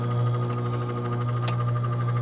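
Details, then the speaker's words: RV AC after replacing the 50-5 capacitor: unit blows cold but loud steady hum with the fan struggling to turn, as if stuck; capacitor only partly fixed it. "One thing is, this fan doesn't seem like it wants to turn. It's like it's stuck."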